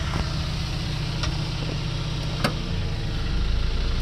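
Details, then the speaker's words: RevCon motorhome generator, serviced with oil and new plugs, started from inside to test a unit for power: the drone deepens and swells as load comes on, showing power reaches it; owner thinks it just needs solenoids replaced. "hear the generator start taking a load so I know that there's power to it which means that it probably works"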